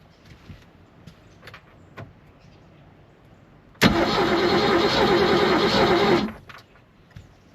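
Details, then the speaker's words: 1976 Glastron boat with 302 engine, sat 10+ years in Midwest: steady fast cranking about three and a half turns a second, never fires; still no spark, owner suspects bad coil and cleans contacts with sandpaper. "Still not seeing any spark. So, should try to clean this up again."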